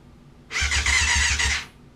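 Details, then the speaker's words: 1994 Yamaha FZR600 sitting 15+ years, after replacing a blown main fuse: starter whines with slow labored chugs about six a second for a second then stops; battery too low to crank, later charged. "my battery's [Music] low can't do nothing with that"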